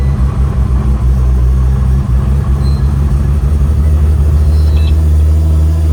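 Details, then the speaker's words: Freshly rebuilt Nissan R35 GT-R VR38 engine idling after first start, up to temperature, coolant bled, no leaks, smoke gone, good oil pressure, ready for break-in: strong, steady, even low rumble with no knocks or ticks; normal idle. "She's up to temp. All bled up. Sounds good. No leaks. All the smoke's gone. Oil pressure is good."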